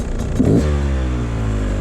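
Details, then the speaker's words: Carbureted two-stroke dirt bike, radiators hot but maybe not fully warmed up; a throttle blip briefly bogs before picking up; owner thinks it needs another minute or two of riding to warm up. "So, pretty much warmed up now. And you can Oh, still a little bit of a bog there. So maybe got to wait another minute or two of riding."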